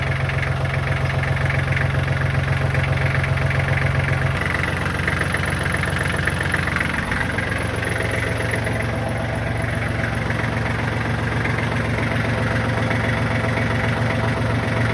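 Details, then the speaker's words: Kubota tractor diesel the day after tightening loose oil pan drain plug bolts to fix an oil leak: fired right up, oil pressure light good; steady, even idle clatter with no knocks, misses or hunting; normal idle. "Tractor runs good, sounds good. Y'all heard the engine."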